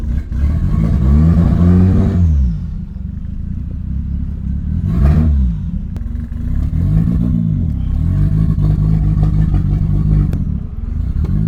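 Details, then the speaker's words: 1989 Toyota Corolla small body revving: revs rise and fall in uneven surges with a stumbling, choppy exhaust beat that never smooths out, earlier backfired; still misfiring, electrical problem suspected. "meron pa din eh no meron pa din guys may ano may parang may parang may plema parang kumbaga sa lalamunan hindi smooth yung daluyan"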